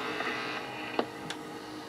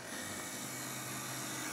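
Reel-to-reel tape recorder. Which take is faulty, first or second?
first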